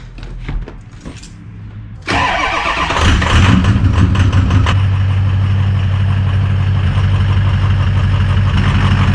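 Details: Ford F-350 6.0 Powerstroke diesel with exhaust manifold/up-pipe leak, started after retightening one side well and the other not quite right; cranks, catches and settles into even clattering idle; leak seems better, not perfect.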